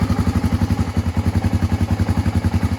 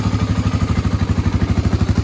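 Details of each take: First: 1986 Honda ATC350X single-cylinder three-wheeler just after kick start: slow, loping thump at about eleven beats a second, even but lazy; owner thinks the idle is a little low. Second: 1986 Honda ATC350X single-cylinder three-wheeler after idle raised, not fully warmed up: even thumping about twelve beats a second, every beat alike, no stumbles; idle sounds better and more even, clean and well set.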